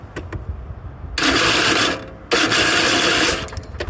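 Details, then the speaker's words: Craftsman YTH4500 riding mower, shroud off: two harsh, rasping one-second grinds as the starter spins; starter gears going bad and the gear staying engaged to the flywheel instead of retracting; the starter was then replaced. "And now the starter sounds terrible, like it's the gears in it are going bad, so I took the shroud off and it's staying engaged to the flywheel. It's not coming back down like it's supposed to."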